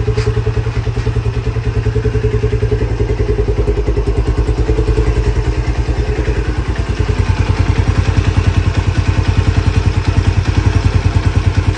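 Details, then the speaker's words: Lifan CityR 175 motorcycle, 10,800 mileage, in for engine knock: cold single-cylinder idle with steady, even low thump and no knocking; carburetor flooded with overflowing floats, but everything otherwise working normally. "І по-друге, просто А він холодний, але все працює, все нормально."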